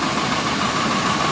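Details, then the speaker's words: Cadillac Coupe Deville 7.0 L 425 CI engine after tune-up with new AC Delco plugs and ignition timing reset; smooth, steady idle with no tick left, engine even and healthy: normal idle. "much better now no more tapes"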